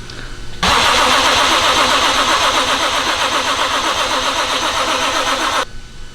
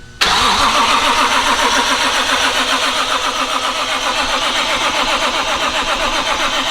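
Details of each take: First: BMW with JZ engine swap, first start on old ethanol fuel, cold at about 80°F, after priming oil pressure: five seconds of steady fast cranking that never fires; crank no start, owner suspects cold ethanol needing more fuel. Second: BMW with a swapped JZ inline-six at its first start, cranked with the crank sensor unplugged and no oil primer to build oil pressure; the starter spins it evenly with regular, unskipped compression pulses, so compression sounds good.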